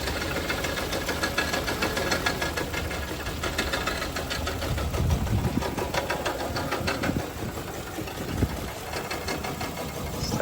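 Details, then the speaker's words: Toyota Kluger that had sat over four years, just started on 10 litres of fresh fuel: it fired right up, but the idle is uneven and lumpy, with irregular knocks and stumbles, shaking rather than settling; rough idle. "this off watch the fired right up but she doesn't sound very healthy at all"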